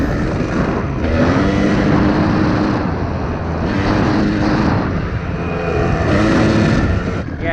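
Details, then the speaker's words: 1997 Kawasaki KDX220 two-stroke, full-throttle test in fourth gear uphill, air screw at 1¼ turns out: sputters and breaks up at the top like a rev limiter, a definite sign of running way too rich. "Did you hear that sputtering? It's kind of like a rev limiter. Eh, that is a definite sign that it's way too rich."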